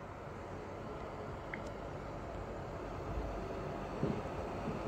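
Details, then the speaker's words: PS4 Pro while running eFootball 2023: a steady, loud rushing-air roar with no pitch change, like a distant jet. The cooling fan is running very hard. "yes the fan sound is really loud on PS4 Pro"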